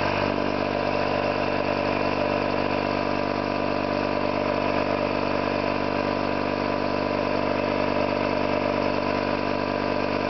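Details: Orlík 2 JSK 75-2 compressor, self-rebuilt after a bad "overhaul" (leaking concentric valves with dislodged axles, poor seals), one of the first starts with the motor temporarily started in star for the house breaker, 4 kW motor planned. Steady, even chugging at constant speed, no knocks; normal running.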